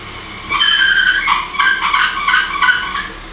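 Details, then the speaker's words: 1986 BMW E30 325e at idle, steering held at full lock: wavering high squeal from power steering; owner suspects pump or rack, noise persisted after ATF flush, pump bearings suspected. "So, a good indication that your power steering has gone bad is, or your steering rack has gone bad, is the sound that it makes when you're at full lock."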